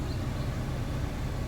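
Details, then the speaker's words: Vauxhall Corsa D after replacing the interior blower motor resistor, fan on: constant even whooshing hum without rattles or ticks; blower working normally, fixed. "even louder number four nice and strong so that's us uh we have fixed it good luck folks"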